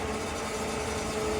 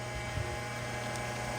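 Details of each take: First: Electric transfer pump filling the truck's tank: steady drone with a faint thin tone over it; the owner suspects the supply tank is running out of fuel. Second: Electric fuel transfer pump switched on to refill the truck's tank: even hum with a steady motor note and no knocks, surging or grinding; the pump runs normally.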